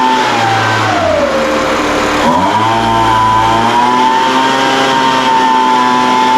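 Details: Older Craftsman 200mph two-stroke blower, sat unknown time, restarted after the high-speed mixture was opened slightly: high-pitched scream wanders down and back up before holding steadier. Surging at high speed; carburetor acting funny after sitting.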